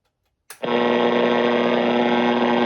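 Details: 1970s Panasonic R-1551 AM radio running on AC wall power: a switch click, then clean steady audio with no crackle, hum or dropouts; the radio plays properly.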